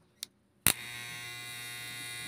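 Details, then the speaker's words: Hair clipper after tightening the loose blade tongue: click, then steady even high buzz and low hum; main noise gone but slight residual noise remains from a loose screw. "yung nawala yung ingay pero ngayon maiingay pang konti dahil dito sa screw Maingay pa siyang konti ngayon"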